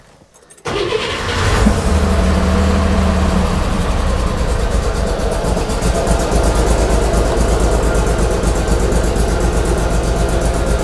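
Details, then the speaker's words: Flooded Corvair on new custom fuel injection, first fire-up: catches, stumbles, then settles into a lumpy wavering idle; rich from excess startup fuel and warm-up enrichment, adjusted by backing both out. "so I had just a little bit too much um startup fuel in it backed out just a little bit of fuel in it and took out some of the warm-up taper"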